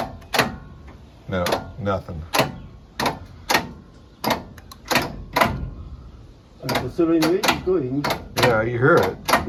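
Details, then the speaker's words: Barn-find Jaguar V8 that sat for a while, starter wired up from underneath: single sharp clacks every half second to second with no cranking, and the engine barely turns against resistance. The starter works but the fan will not turn; cause not confirmed. "Yeah, the starter's working, but that fan is not turning. Hit it a couple more times."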